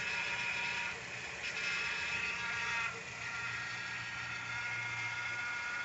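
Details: 2012 Nissan Sentra idling with the accessory belt removed: steady high hiss and whir still comes from the crankshaft pulley area, so the pulley itself is suspected; cause unknown.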